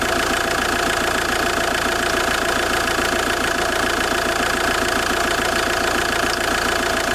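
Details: JTD 105 diesel clattering at idle when cold: a fast, even creak-like pulse tied to engine speed; weird cold-engine creaking noise, cause unidentified.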